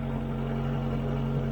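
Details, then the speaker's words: 1996 Suzuki (Geo) Tracker after fuel pressure regulator replacement for a cylinder one misfire: low, steady, even idle hum with no stumbles or knocks, running smoothly, slight hesitation on tip-in, idle slightly high. "yeah it sounds good I think it may be pretty much fixed now"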